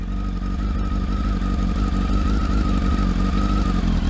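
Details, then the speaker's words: Bike just started stone cold on a freezing morning: busy, even idle with faint steady whine, no misfires or knocks, revs expected to rise; normal cold idle. "Look at that. Starts straight away, and it's fucking. So you'll hear the revs rise in a minute."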